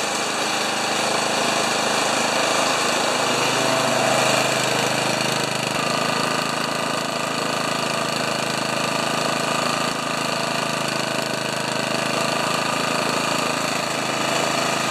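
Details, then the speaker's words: Honda HRA214 mower unused for two years, after cleaning plug, new gas and draining carb bowl; single-cylinder engine holds steady even buzz at about 1500 rpm idle, no surging or stumbling, then cut off; normal idle. "so around 1500 RPMs for an idle and what was that 30 270 for a high speed uh run without the clutch in well that's really good"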